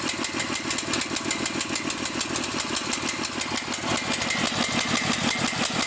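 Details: Cael mini excavator with uneven, lumpy idle, irregular chuffing pulses and a wandering beat, close to stalling; rough idle and dying, with an unidentified electronic part and wiring under question. Cause suspected, not confirmed.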